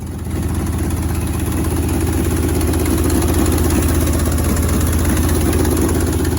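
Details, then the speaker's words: Neglected 1977 Ford F-150 with a 302 V8, first running after 19 years: a deep idle with an uneven, stumbling misfire. Cause unconfirmed; new spark plugs are planned. "fun piece of automobile equipment you can really you can really hear the misfire"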